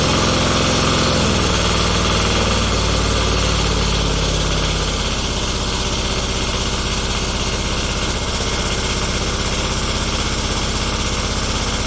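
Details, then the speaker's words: Kubota G4200 garden tractor after restoration, first start: long labored cranking, catches after about five seconds into steady thumping idle; owner suspects fuel system, which was redone and bled. "this is when I start trying to figure out what's going on, and I've remembered later that I'd redone the whole fuel system and bled it."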